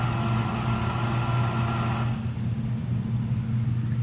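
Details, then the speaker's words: Small AC condensate pump running nearby, loud and annoying steady low motor hum with even level, no knocks or grinding; operating normally, just loud. "That midget is what's making all that noise. It's very annoying. It's just a condensation pump for the AC unit."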